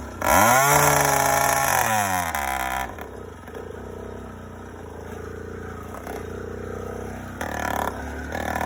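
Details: First startup of a YD100 two-stroke after reinstalling a Dio reed valve, newly ported cylinder and self-windowed piston, still untuned, recorded outdoors with the phone in a pocket. It snaps up to a high rising rev, then drops to a steady, buzzy idle; sounds healthy.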